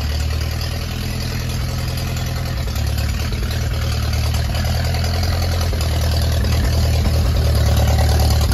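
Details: Ferguson T20 barn-find tractor out after 38 years standing, some small leaks remaining; low even thump about three beats a second, steady without stumbles or knocks; normal running.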